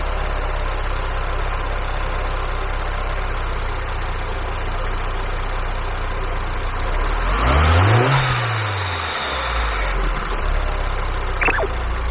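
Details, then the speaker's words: MINI Cooper S (R56), check engine light on, right after starting: a rough, irregular hunting idle that stalls when the A/C is switched on. It worsened despite a recent VANOS solenoid replacement; codes 277D/27759 are stored. The owner suspects the high-pressure fuel pump and possibly the tensioner. "ご覧の通りちょっとね、エンジンの変な不規則な動きをして安定してない状態になっておりますので、とうとうやばいかなというような状況でございます。。"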